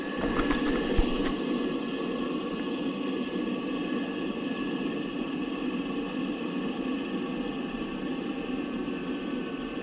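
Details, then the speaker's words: Boiler after new air pressure switch (earlier control board and venturi replaced), hot water demand from kitchen faucet: ignited instantly, even steady hum with a few fixed whistle-like tones, no surging or popping; burner running normally. "I'm going to shut my flashlight so we can watch ignition. I mean, it kicked on like literally instantly."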